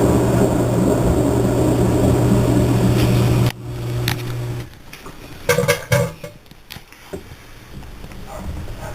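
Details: Three-year-old Whirlpool Cabrio washer (bought 2008) revving up in the drain-and-spin cycle: loud, heavy droning spin with a steady low hum that cuts out abruptly, leaving faint clicks; owner says the bearings and tub are bad.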